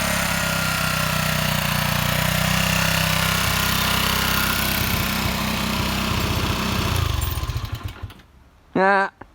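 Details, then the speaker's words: Honda CG125 motorcycle, first start, uncleaned carburetor, weak battery: uneven stumbling single-cylinder beat at slightly raised revs, then dies; rough running, gummed carburetor suspected. "Right, as you can see, that was running at slightly higher revs. It sounds rough as a bag of spanners."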